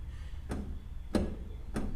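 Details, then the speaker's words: 1960 Chevrolet Bel Air lowrider, right front wheel rocked by hand: three sharp metallic clunks about every 0.6 seconds with about an inch of movement; worn-out upper ball joint, and a wheel bearing noise is also suspected. "moves like an inch I think oh yeah 90% of that is upper ball joint I'm in the upper ball joint is blown out of this thing"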